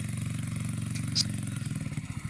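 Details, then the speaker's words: 2009 Skyteam Bad Boy 50cc four-stroke single, carb cleaned, good air filter, 130 psi compression, new spark plug, still running badly. Uneven putter at idle, beats stumbling and sagging near the end; air leak at the loose inlet manifold. "Okay. So, as you're able to tell, the bike is not running great to say the least."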